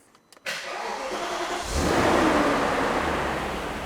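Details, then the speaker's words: Alpina B10 V8S E39 Touring V8 at 36,800 km, off the road since 2016, just serviced with new belts, tensioners, fan blades, air filter and vacuum leaks fixed; starter catches quickly, flares, settles into smooth even idle with no knocks or ticks: normal start and idle. "36,800 km and it sounds peachy"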